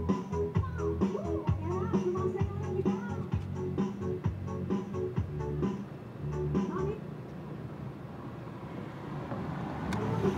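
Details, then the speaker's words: Home Vision amplifier previously giving distorted sound, tested after the tone control was reinstalled following replacement of the faulty volume, balance and GRC parts: clear melody and steady bass with no crackle or breakup, so it is normal. "Okay na siya mga karesiklo. Okay na siya."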